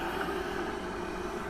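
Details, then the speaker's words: Pentair gas pool heater, water at 67°F, after replacing a failed flue stack sensor: steady even whoosh of the blower purging cold air, no ignition thump yet. Normal pre-purge before the burner lights. "so right now it's just blowing cold air which you'll hear a kick in a second"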